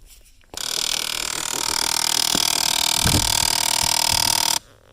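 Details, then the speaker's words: Jeep Liberty with the blower running, sound under the dash when a door is opened: faint rapid tick-tick ticking from a bad blend door actuator; unplugging it stops the noise, and the fix is replacing it (Dorman 604-037). "So this is your fix right here. This actuator right here is bad. So that's the one we need to unplug for now, just to get rid of the noise."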